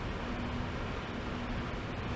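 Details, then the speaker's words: Owner's PC, with its cooling fans running constantly, gives a steady loud airy whoosh with a faint low hum and no speed change. The fans are loud. "and I've actually never had a computer in the last decade that hasn't been loud the fans constantly run I mean listen to it right now that is really loud"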